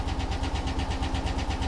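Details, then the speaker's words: 1977 Ford Bronco at auction, idling with 40 PSI oil pressure: fast even ticking over a lumpy, stumbling idle. It sounds like a dead miss and a tapping lifter, and lifter damage is suspected but unconfirmed. "dead Miss tapping lifter oh that's a shame that's a shame yeah that sounds like lifter damage"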